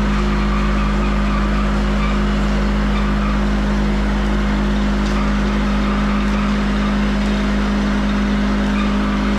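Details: Van Dale silo unloader started in the silo after being hung, cable tightened, greased and oiled; even unbroken mechanical hum, steady low tone, no knocks or grinding; drive running smoothly, silage coming down nicely; spout slightly hitting door frame.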